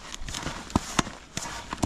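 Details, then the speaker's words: Hand pump inflating a SUP board using full strokes, a beginner's mistake: sharp, uneven thuds roughly every half second as the piston hits the end of its stroke; piston bottoming at end of stroke. "Как стучит насос урамы не должны а удары делать в конце хода и вверху"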